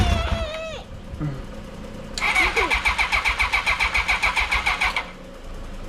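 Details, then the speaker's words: 1982 Honda CB750K, carburetors cleaned, not started in years: starter turns engine over in steady pulses, about three and a half per second, for about three seconds without catching; cranks but no start, spark present, owner suspects flooding. "All right, since I can't get a start, I want to see if it'll spark."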